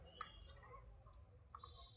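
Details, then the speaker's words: Returned fan motor tested on the bench: quiet hum with faint, irregular high chirps, a few each second, as the rotor turns; worn, cut bush squeaking, the common fault in these motors failing within a month. "देखा आपने इसका Bush कटा हुआ है। सब में वही दिक्कत है।"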